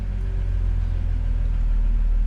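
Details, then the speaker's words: Jeep Cherokee that wouldn't run with aftermarket crank sensors, after fitting a dealership crank sensor: starts straight up into a deep, steady idle with no stumbling; fix was a bad crank sensor, no check engine lights. "Man, it sounds good. Starting right up. It's purring like a kitten now. So, man, the fix on this one was just simply a bad crank sensor."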